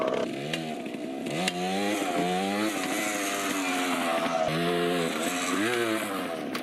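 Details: 1980 Yamaha GT80 two-stroke mini revived after carb and gas tank cleaning: crisp, ringing engine revving through the gears, pulling cleanly without misfire or bogging. The forks pop on wheelies and the rear sprocket is badly worn.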